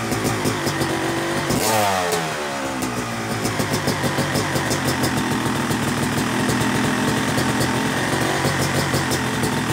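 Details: Yamaha YZ250 two-stroke motocross bike (270cc/250cc), started on the third crank after full engine rebuild (bottom end, transmission, bearings, clutch, power valve), break-in; crisp ringing idle rising cleanly through a quick blip; new transmission seals let rear wheel creep in neutral; normal, healthy.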